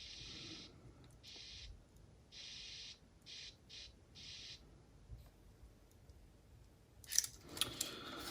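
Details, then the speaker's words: Aiwa HS-JX50/JX505 walkman after recapping and repairing electrolyte-damaged PCB tracks: playback cuts in and out in irregular half-second bursts with dead gaps; loose contact. "okay we have some issue as I can hear yes and that isssue is right over"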